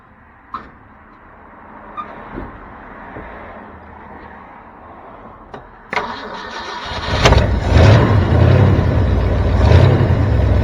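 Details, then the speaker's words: 1973 Ford F350 dump truck (1976 cab, 1979 front), carbureted, just after a vacuum leak was fixed: quiet clicks, then it catches and settles into an even, steady idle. Starts and runs normally; the carburetor may need adjusting. "there it is folks uh the answer is yes it will start and it runs so I don't know it's uh might need to fiddle with that carburetor a little bit"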